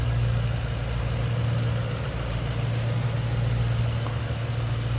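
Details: 2007 Ford Mustang Shelby GT V8, Ford Racing cold air intake: deep, even idle with steady low rumble and no ticks, misses or knocks; normal idle.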